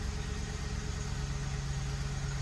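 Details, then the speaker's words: Ford F-150 5.4L 3-valve V8 after timing job and fuel line replacement, fuel trims reset: starts nicely into a steady, even idle with smooth low rumble, no popping or misfires. "man this thing starts nice now no more popping or anything no more misfires I mean it just runs great"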